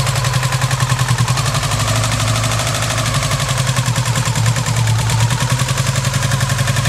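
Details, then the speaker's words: Subaru Impreza EJ18 four-cylinder at idle, intake manifold swapped from old engine: lumpy uneven idle with irregular thumps, not running on all four cylinders despite new leads, plugs and reseated connectors; cause unknown. "so yeah as you can hear it doesn't sound like it's running on all four cylinders and I've changed all the leads changed all the plugs undone all the electrical connectors and done them all up again and she's still the same"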